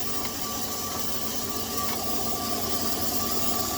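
Steady, even idle hum with no chirp or squeal from the front of the engine; the drive belts are running quiet.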